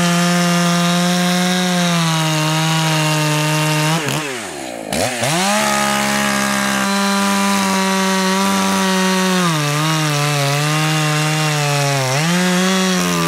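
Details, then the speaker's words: Echo CS 590 chainsaw at full throttle after high-speed screw turned in about 1/8 turn: high steady wail, brief dip and burble then climbs back cleanly; leaned a touch to clear faster, low reopened slightly for hesitation. "Spot on, and if you noticed, when I leaned out the high, it does somewhat affect the low. There was hesitation, so I had to open the low up again just a little bit."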